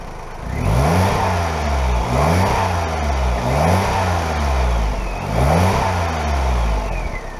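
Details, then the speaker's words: Smart ForTwo 451 Brabus after welding in a new exhaust flex pipe, during a leak check: four clean revs, pitch rising and falling smoothly, with no ticking or puffing. Exhaust sealed and running normally. "so like i say this is a brabus exhaust um so it should sound a little bit more sporty"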